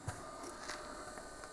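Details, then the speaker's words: Replacement pump running, after the old pump, believed defective, was extremely loud; quiet, even hum with a faint steady whirr and no rattle or grinding; normal pump running. "die pumpe war glaube ich defekt die wir auch wirklich extrem laut jetzt neue pumpe neues glück"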